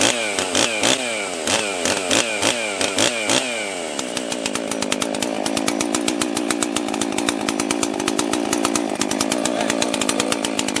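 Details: Husqvarna 261 62cc chainsaw, stock, after carb rebuild plus new fuel filter and fuel line, piston and cylinder checked, spark confirmed, after sitting about 10 years; crackles through blips then holds a clean high-speed scream, running properly.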